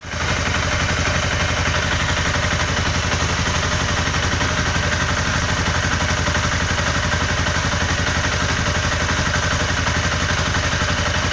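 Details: Honda CBR 250R engine with a steady, fast tick-tick knocking clatter at idle that continues through short revs; the owner does not know the cause.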